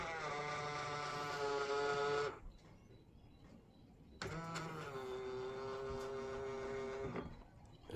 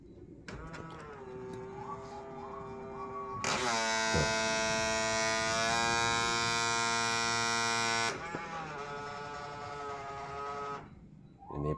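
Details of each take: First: Honda Freed side mirror, fold motor noisy after being sideswiped by a bus, repaired with metal glue: two smooth, even motor hums with no clicking or grinding, strange noise gone. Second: Honda Freed power-folding side mirror damaged after being sideswiped by a bus: small motor whines while folding closed, turning into a harsh loud buzzing grind mid-travel; power-folding mirror motor grinding buzz.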